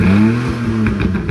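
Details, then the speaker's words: 306 being fitted with a 3-inch exhaust, reassembled with air filter left off: engine catches and revs up smoothly, pitch rising and settling cleanly with no puffing or rasp from the exhaust; runs normally. "Alright, but you can tell it's running."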